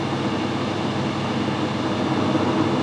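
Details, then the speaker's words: Lathe reaming with a parallel-shank hand reamer in a Jacobs chuck at 60 RPM, fed gently forward only: steady, even rumble with soft continuous hiss as it cuts, no chatter; normal reaming cut. "Reamers need to be run nice and slow. You only ever go forward of the reamer, you never turn the reamer backwards."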